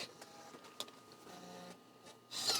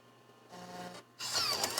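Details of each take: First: Mac internal floppy drive booting a Mac OS 7.1 Disk Tools disk after a cleaning disk: faint scratchy clicks and buzzy head stepping that never settle into a clean read; the drive is failing to read. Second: Mac floppy drive, mechanism freshly lubricated: a brief smooth whir, then a soft mechanical rush with no grinding, clicking or strain. The mechanism moves freely; normal floppy drive operation.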